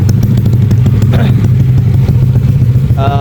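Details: Yamaha Aerox bored up to 180cc (RX7 63 block), one year on, manual ISC, idle and AFR hard to set: engine ticks over at a steady, even beat with no knock or clatter. Normal idle.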